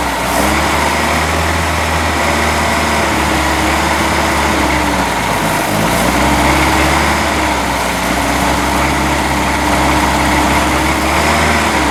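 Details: Boat engine run on water-supplied earmuffs right after a new manifold was installed. Uneven, lumpy beat with wavering pitch; runs poorly because ignition timing is off and the carburetor needs a rebuild, though the oil stays water-free.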